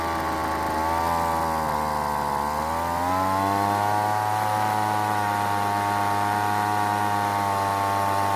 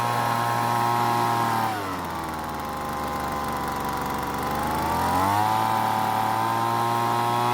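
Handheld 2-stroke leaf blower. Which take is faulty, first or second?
first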